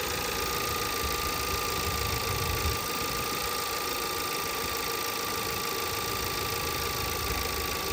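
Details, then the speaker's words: 2017 VW Passat 1.8 with new NGK plugs, warm idle after a few minutes of running: uneven, irregular dips over a steady hum, with random multiple-misfire codes on cylinders 1–4. The camshaft adjustment timing solenoid was replaced. "you can see that's the code we have Miss fire on cylinder one 3 2 4 random multiple misfiring"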